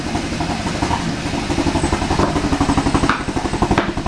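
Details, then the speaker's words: Kia Pro Ceed GT with a long-running cold-start misfire, started at about 2°C: uneven stumbling thumps about 1.5 a second with skipped beats, engine light flashing, rotten-egg smell; severe misfire, owner suspects catalytic converter. "it started doing something that it's not done so far that is very worrying it's misfiring loads but way worse than it's ever done it before"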